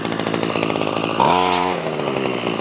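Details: Ryobi CS26 two-stroke trimmer, earlier a no-start, now on a replacement carburetor with idle raised: buzzy idle snaps to a clean high wail at full throttle, then drops back smoothly without bogging or sputtering; healthy running.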